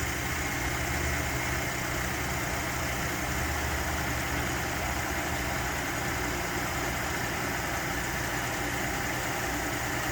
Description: Cold start cam phaser rattle on my 2019 3.5 Ecoboost.